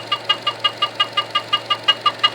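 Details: 2012 Chevy Cruze engine idling with sharp high-pitched chirps, about five or six a second; the valve cover was replaced four months earlier, and the squeak was later traced to two loose spark plugs.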